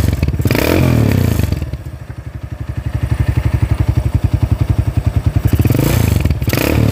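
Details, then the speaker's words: Freshly rebuilt Honda GL-type single-cylinder motorcycle engine: an even thump of about four beats a second at low revs with light blips; very smooth and quiet, but not yet revved hard while it breaks in. "Oke kalau untuk suaranya alus lah ya halus banget"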